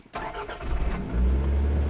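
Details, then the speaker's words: GOOLOO GP3000 lithium jump starter on a car with a very dead battery: a brief crank of a few quick turns, then the engine catches at once and settles into a steady, even low idle; it starts with no problem. "There we go. It fires up. And yeah, this started the car no problem."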